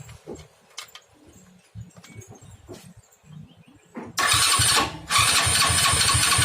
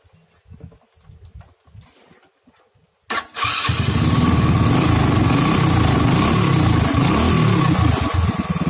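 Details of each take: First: Honda Astrea Grand motorcycle with a new battery: electric starter whirs steadily at normal speed in two long bursts but the engine never fires; crank no start. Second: Honda Astrea Grand motorcycle whose electric starter failed: engine runs steady and even, a stable single-cylinder putter; fault traced to a faulty CDI, pulser coil fine.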